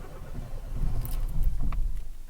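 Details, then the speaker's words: Renault Clio Alize 1.4 with Siemens 32 ECU, crank-no-start, after temporary fix: brief low rumble as engine cranks and catches, then settles into a soft idle; starts normally. "okay we go you want it to start and there you go get you out of the pickle you can go yeah you can head home quickly it's a temporary fix"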